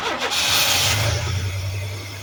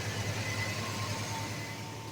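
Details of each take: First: 1991 Chevy S10: engine catches with a brief rush then dies within two seconds; no fuel pressure, fuel pump not delivering fuel. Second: 1991 Chevy S10 revived after trouble getting fuel delivered: engine holds a quiet, even idle with a steady low hum, no stumbling, running on its own fuel.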